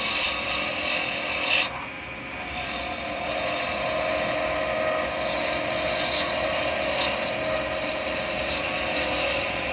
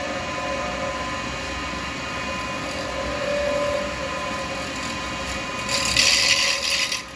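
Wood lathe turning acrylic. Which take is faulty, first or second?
second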